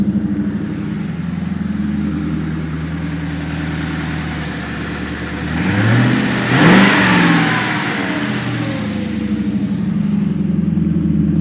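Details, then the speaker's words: 1994 Infiniti Q45 with aftermarket rear-mount turbo: steady even idle, then a clean quick rev rising and falling smoothly with no knocks or ticks; the engine sounds healthy and strong. "Anyway, so you can see it sounds run strong. Sounds good."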